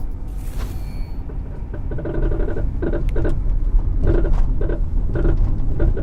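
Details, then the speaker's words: Loose, hollow clatter in quick, uneven bursts over road rumble from worn or loose sway bar end links. The links connect the suspension to the body, which magnifies the knocking. "really make a ton of noise because links connect the suspension to the body of the car which magnifies the sound so anytime they get even just a little bit loose it sounds like a part might fall off your car"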